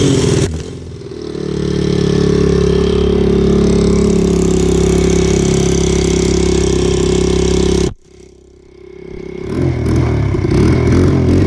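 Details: Single-cylinder motorcycle after exhaust fix, old header gasket removed, on choke while checking for leaks: steady even thump that briefly dips then recovers, no exhaust puffing or ticking; leak gone, normal running.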